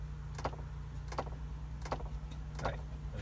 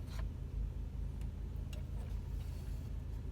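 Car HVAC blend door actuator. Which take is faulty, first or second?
first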